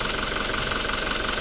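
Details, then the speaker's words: Toyota Revo diesel, about 140,000+ km on the odometer, four-wire injector plug, freshly started after intake manifold cleaning and not yet warm: steady, busy metallic clatter over the idle; louder than the earlier Revo. "ขับรถตอนเช้าๆนะมาเนี่ยได้ยินเลยแก๊กๆๆๆๆๆๆๆๆมาเลยอ่ะรถใหม่ๆนะครับแบบนี้เลยนะครับ"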